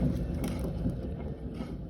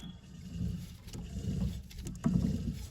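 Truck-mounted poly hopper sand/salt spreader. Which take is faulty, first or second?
first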